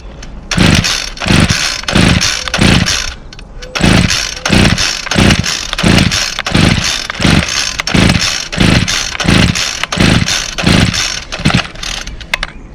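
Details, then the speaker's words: Two-stroke string trimmer that only runs with the throttle held and dies as soon as the throttle is released, started with choke and primes: repeated pull-start bursts about every 0.7 s, catching briefly and dying each time; hard starting, rough running. "here has a little issue i can only hold the throttle down second i let off of the throttle it dies um so i'll demonstrate that"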